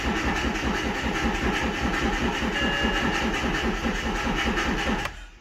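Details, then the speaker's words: High-mileage BMW 1 Series four-door 1.8 diesel, just bought unseen: starter turns the engine slowly and unevenly, about two and a half beats a second, without firing; battery reads about 11 volts. "let's check the voltage once again because it's turning slow oh yeah 11 points"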